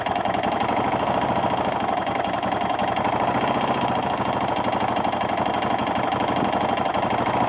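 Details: 1992 Yamaha XT600E (3TB) single-cylinder at idle: steady idle with fast, even tapping or knocking over the thump; source unknown, owner asks what it could be.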